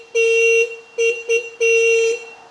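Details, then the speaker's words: Old motorcycle (XJ650/CBX750 project) on first electrical check with no dash lights working: four clear horn blasts, two long and two short, on a steady mid-high note with no rasp or warble; the horn works properly. "Any dash lights? No, nothing else except the good old horn."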